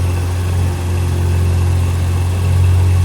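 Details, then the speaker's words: Mazda RX-7 rotary barn find, first run after complete engine rebuild and fix for stalling after 5 seconds: steady even low burble, slightly fast idle as TPS not yet set, no misses or knocks. "It sounds so good. >> And idle's a bit high, but keep in mind I haven't set my TPS yet."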